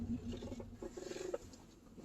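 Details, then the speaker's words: Car with low groaning creaks and short squeaks from the right-side front suspension as the steering is turned, first heard braking on a test drive; steering and suspension components suspected, not confirmed. "Okay, I don't know if you can hear it correctly, but it sounds like a kind of creaking, squeaking noise. I can clearly hear it. It's in this side at the right side."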